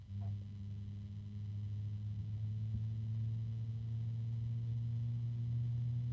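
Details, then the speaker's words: Antec TwoCool 140 fan set to high setting and turned down to its minimum speed: steady low droning hum with a second tone above, bearing noise plus harmonic resonances that recur depending on RPM. "I can still hear that noise definitely is the bearings there are some harmonic resonances as well"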